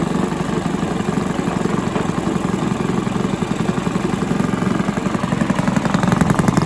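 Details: Villiers 10 petrol engine on an old Barford cement mixer, no choke, steady even single-cylinder chug at constant beat, no knocks, misses or surging; compression not excellent, fuel seems to run through with tap off; normal running.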